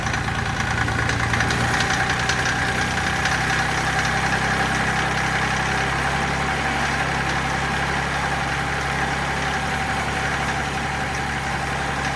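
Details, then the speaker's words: Mitsubishi L3E 3-cylinder diesel, about 20 hp, rebuilt after zero compression in middle cylinder from a valve problem; started without glow plugs, thermostat housing cracked and leaking: steady even idle on all three cylinders, smoother, less smoke; normal idle. "I don't know, it's definitely running on all 3 cylinders now. Yeah, for sure. It's running a lot smoother. It's not smoking nearly as bad."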